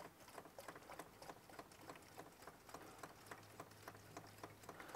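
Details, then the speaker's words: Toyota Landcruiser diesel at its 120,000–125,000 km service, hand-priming the lift pump: steady clicking about three strokes a second with soft hiss as the secondary filter fills; lift pump working normally. "We can start to hear the secondary filter filling up now. This is a good thing as well, because then you know your lift pump actually works."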